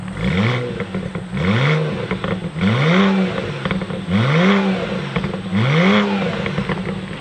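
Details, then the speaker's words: BMW E90 335i N54 free-revved five times: each rev rises smoothly and drops back with light turbo spool hiss and downpipe sound; engine feels smooth and tight, no mounts gone, healthy. "you can hear the turbos you can hear the downpipe got a bit of spool there that's pretty good honestly it feels really smooth"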